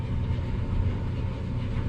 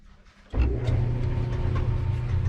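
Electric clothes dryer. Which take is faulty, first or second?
second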